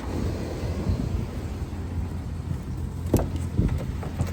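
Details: 1999 GMC Sierra 1500 V8 after water pump replacement (was leaking coolant from weep hole) and cooling system refill: steady low idle burble, no ticking or knocking, only a few handling clicks; engine runs smoothly and healthy.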